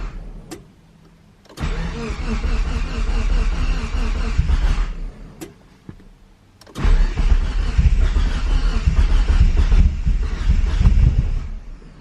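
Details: DSM Eagle Talon, first start after a new head gasket and transmission rebuild, with fresh oil and filter: two cranking bursts catch into an uneven, lumpy, hunting idle before shutting off. No leaks seen. Rough first run, cause not found.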